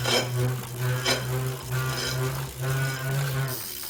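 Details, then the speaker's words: Tacx Neo series trainer motor brake: low steady droning hum with metallic swishes about once a second; suspected hub axle problem in the centre of the motor brake, hard to fix yourself, needs support, not confirmed. "it might be because there's a problem with the Hub axle in the center of the motor brake it's difficult to fix on your own so it's best to get help from Garmin support center"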